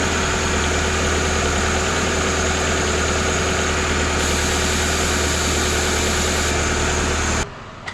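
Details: Car with a start-up-only squeal, restarted after brake cleaner was sprayed near the belt: the engine settles into idle with a thin, steady, high-pitched squeal of constant pitch until shutdown, cause not yet confirmed.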